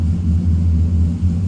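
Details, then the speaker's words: Chevy pickup after Hydroboost brake conversion with power steering fluid refilled: steady low engine hum with no pump whine or groan while turning the wheel; steering buttery smooth and healthy. "No noise from the power steering pump, that's a good sign. I'll just turn the wheel. Power steering is just buttery smooth."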